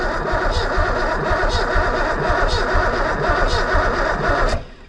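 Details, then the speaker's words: 1990 Ford Mustang GT that sat 25+ years, fresh battery and gas, first start attempt: starter cranks with slow even compression pulses about once a second for four seconds, never fires; no fuel pump heard, relay and inertia switch suspected. "I don't hear any fuel pump. So sometimes when you get under here, the fuel pump relay, and you look under here, 87 to 91, and you can actually turn the key, put your hand on the relay, and hear it click."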